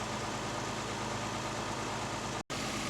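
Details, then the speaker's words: 1968 Mercedes 280 SL Pagoda, M130 inline six, after tune-up with new fuel filter and oil change: fires up quick, soft even idle with no misses, lopes or knocks, no vibration, smooth as a sewing machine. "fires up quick and you can just see here how smooth this engine runs couldn't hear it probably wouldn't even know it was running [Music] no vibration just like a sewing machine as they say"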